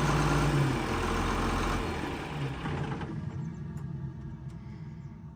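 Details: John Deere 4850 tractor diesel that was smoking and losing power, after the injectors were fixed and the fuel lines bled: steady low idle with an even beat around three per second and no misfire or knock; normal idle.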